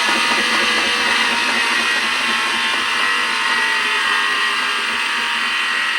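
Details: Factory-refurbished Sears washing machine on spin cycle makes loud steady rushing roar with thin high whine, likened to a jet or spaceship; abnormally loud spin, cause unknown.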